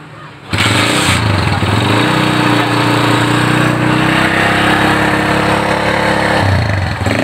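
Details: Honda GL Neotech motorcycle, which ran but stumbled when throttle was raised, with black spark plugs and high fuel use: after repair, the engine holds a steady, even high rev for several seconds without misses or popping, then drops back cleanly; runs healthy.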